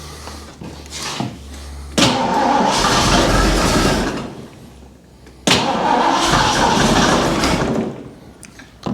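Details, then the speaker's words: 1975 Bricklin SV-1 V8, low-mileage original-owner car, first run after battery hookup and ignition work, possibly frozen water in block: fires and revs in uneven, stumbling bursts with a ragged miss; rough running, owner suspects a vacuum leak, smoke seen. "It runs poorly. Just 4x4 blocks so I don't kill myself. Ooh, she's got a little bit of a miss and whatnot, but she does something."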